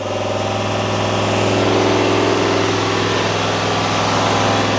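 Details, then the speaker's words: 2022 Chevy Silverado 2500 HD L5P Duramax diesel, forced stationary DPF regen via Foxwell HD500: steady smooth drone at elevated idle around 2,500 rpm, fans engaged, exhaust temperature raised; no knocks or misses, normal regen idle. "What this is doing, it's bringing that RPM up, it's bringing the exhaust temperature of the gas, everything up."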